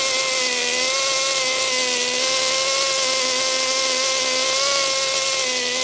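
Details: HPI Super Nitro RS4 Dodge Viper nitro RC car, cold engine at idle: high buzzy idle that wavers slightly and never settles, soft burbling edge; mixture too rich.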